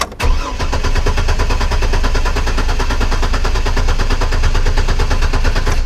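Engine catches and runs with a choppy, uneven popping beat, the stumble of a misfire.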